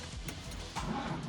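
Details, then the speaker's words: Barn-find Fiat 124 Spider, sitting about 25 years, cranking on a jump pack. The seized starter was freed by hammering and now spins the engine in a steady churning rhythm with no grinding; it needs no replacement. "Oh yeah, the starter actually works. It was just frozen. I hammered on it with a hammer, and then I just hit it."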